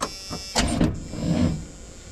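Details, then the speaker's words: White Freightliner COE heavy wrecker left sitting in freezing weather, no block heater seen: starter groans over slowly in sluggish surges and never catches; owner suspects cold and a weak battery, plans to charge it; slow cranking, no start. "what's up I have to turn over yeah she's too cold I think we'd be better off to try to charge this battery"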